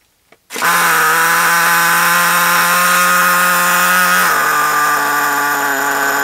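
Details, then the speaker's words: RC nitro car engine, throttle at lowest controller setting yet carburetor not closing: steady high buzz, dips only slightly with brake applied and still races; idle far too fast, tuning screw unknown. "so yeah as you can hear it's very very fast um I'll put it on again and show you when I put the brake on it still goes too fast but it goes down to a suitable speed"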